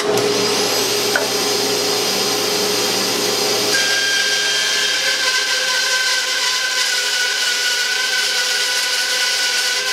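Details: 1948 Delta/Rockwell Milwaukee 14" band saw with new urethane tires and tension spring, freehand resaw test with dust collector hooked up: smooth even hum holding steady pitch under load, no thumping or scraping; normal running under cut.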